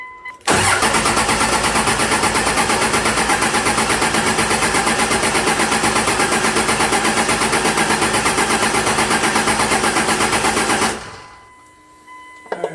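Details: Engine-swapped 1952 Dodge M37 with 2001 Dodge Ram Cummins turbo diesel, first start attempt after wiring: steady fast cranking about three beats per second for ten seconds without firing, checking injector line pressure; cranks but won't start.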